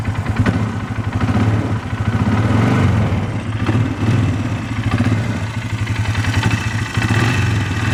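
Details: 2012 Polaris Sportsman 500 H.O., three days old, driven only around the yard: quick, even knocking over the single's idle that swells as revs rise; owner notes harder, deeper knock under load like piston or rod slap, cause unconfirmed.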